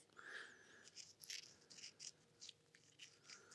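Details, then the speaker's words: 10-year-old PK Ripper BMX bearing, hand-spun before ceramic bearing replacement: rough, uneven rattle and gritty clicks instead of a smooth hiss; worn-out bearing. "you can hear that sounds terrible so that's good I'm glad we're changing in"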